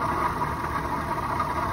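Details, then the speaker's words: Auction car just started with a jump: settles into a steady idle with a constant mid-pitched hum or noise over the engine. Abnormal engine noise at idle, cause unknown. "Okay, it started up with a jump. That's some noise that it's making in there."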